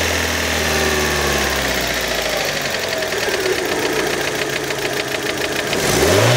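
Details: Fiat Panda engine, warm, with throttle blips: sharp, regular metallic ticking over the idle that quickens as revs rise; internal engine knock, source undetermined.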